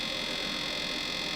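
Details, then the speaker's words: Pyle-Pro PTA1000 1000 W two-channel DJ amplifier, new unit: a steady whirring hiss with a faint scraping edge as the internal cooling fan blade contacts something inside the amp. "okay sort to ranked and as you can hear the fan inside is coming into contact with something I've checked the back it's not the back"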